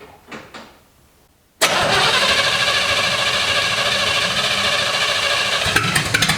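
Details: 1955 Chevy stored 20 years, started after rewiring. After a quiet pause it catches at once and settles into a steady, busy run with no stalling. The inside amp meter barely moves off zero, so charging is inconclusive.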